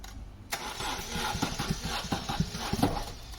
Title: 2006 Opel Astra with a 1.8 z18xe engine. Client complained of hard start and very rough running.